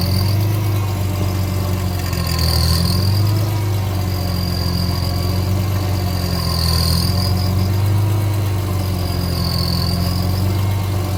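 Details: 2005 BMW E46 M3 at hot idle: steady rumble with a high whirring tone swelling and fading about every two seconds. It occurs only when the engine is hot, is triggered by rocking the steering wheel and sometimes occurs without steering input; cause unknown.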